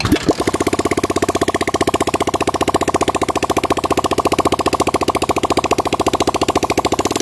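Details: Yamaha Vixion with lost compression and MIL blinking code 21, after head repair, kick-started with the radiator open and not yet filled. Single cylinder settles into an even, steady idle with regular firing pulses, no chuffing; head gasket sealing, normal idle.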